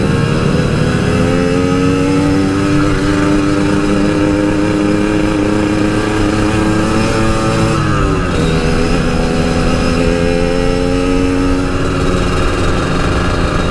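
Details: Yamaha RX King two-stroke after repair of stutter (brebet) at high rpm that occurred only while riding, not when revved standing; now pulls cleanly through the revs with a mid shift, no stutter or misfire; recorded riding in half-face helmet, wind noise.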